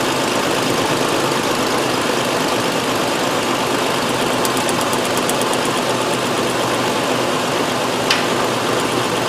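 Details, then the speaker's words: 2001 Nissan Frontier 3.3 V6 at idle, P0302 code: faint uneven stumble under steady drone, hood shaking; cylinder 2 misfire confirmed by cylinder cut test, spark present. "alright number two is definitely our blending cylinder right can't tell on the video but it is probably see the hood shake in there"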